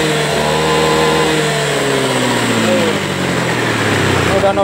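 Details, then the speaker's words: Honda Beat ESP scooter that was hard to start and stumbled, after injector cleaning, TPS tightening and ECU resets, fuel pressure 41 psi: revs up cleanly and settles smoothly, no stumble under throttle, which it previously refused. "Nah, normal untuk hidupnya udah normal, slownnya udah bagus. Tekanan rota normal di 41 psi. Coba kita gas. Sebelumnya enggak mau digas, ya."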